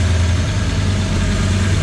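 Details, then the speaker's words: V8 on Quadrajet carb replacing oversized 650 carb: even deep idle burble, steady beat, no misses; earlier lumpy cam-like idle gone, handbrake cable rattles. "Before it was like idling, bum, bum, bum. Sounded like I had a cam in it, but that's got a good note to it now."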